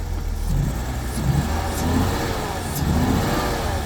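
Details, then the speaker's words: 1991 BMW 750iL V12, possibly still in limp mode: revs climb lazily and fall back on each blip, sluggish and flat; one bank is suspected dead, the mass airflow sensors from a donor car are ruled out, and the coil is suspected next. "Yeah, it's still pretty slow to rev up. So I still think that we're on one bank."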